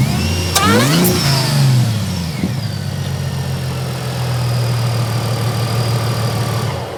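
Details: Mercedes SLK32 AMG after new ignition coils replaced the Bosch ones. The engine catches, flares up, then drops to a smooth, steady idle; the earlier misfire and bogging are gone and it runs healthier.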